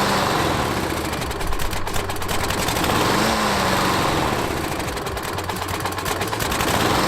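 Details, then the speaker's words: Used walk-behind lawn mower found at roadside, first run before tune-up; spark plug was heavily gunked and replaced. Loud small engine running unevenly, beat wavering and speed surging slightly; rough running, needs tune-up, cause not confirmed. "first thing here I did was take the spark plug out and it's pretty gunked up so I did go ahead and get a new spark plug and it sounded like it needed a little bit of work"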